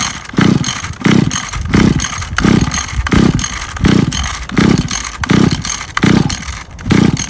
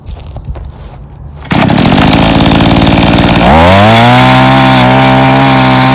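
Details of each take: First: Free Mantis Mini Tiller two-stroke with replaced carburetor and fuel line, cold day, choked and primed: pulls over in bursts, catches briefly then stalls; carburetor needed adjusting, after which it ran but somewhat boggy. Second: Mantis Mini Tiller two-stroke with new carburetor and fuel line, after carb adjustment, tilling yard soil with some rocks: fires, climbs to a clean steady high buzz holding pitch while digging; pulls strongly under load.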